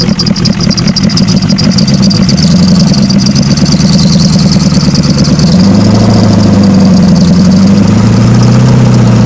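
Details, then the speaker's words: Ford 7.3 IDI diesel one-ton truck, thought unrun eight years, first run without turbo: loud clatter, uneven lumpy stumbling idle, heavy smoke; dead cylinder. "Whoa, she's smoking. Not very good. Yeah. and it's got a dead cylinder."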